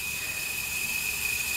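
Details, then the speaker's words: Wheel Horse B165 tractor engine, neglected for decades, leak-down test, engine stopped: steady strong hiss, air out the breather, slight at intake, none at exhaust; worn piston rings leaking into crankcase. "Nothing coming through the exhaust, which only leaves one thing, and it's the worst of the possible causes for this: the piston rings. We must be getting a lot of air into the crankcase."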